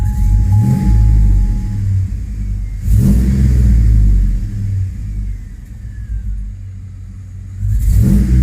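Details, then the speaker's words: 2005 Chevrolet Tahoe 5.3L 4x4 with a new fuel pump, code P0174 lean bank 2, stalling: revved in reverse, it stumbles roughly in bursts as the headlights dim; misfire. "guys when i go give a gas in reverse look at our headlights our headlights dimmed out and that thing starts misfiring"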